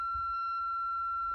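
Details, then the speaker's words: Kenwood TS-430S ham radio on a 13.8 V, 10 A power supply and not grounded: on switch-on it gives a steady high siren-like tone over a faint low rumble. The cause is unknown; the owner asks whether grounding is needed. "Why is my Kenwood TS-430S making this sound when I power it up and turn it on? Does it need to be grounded?"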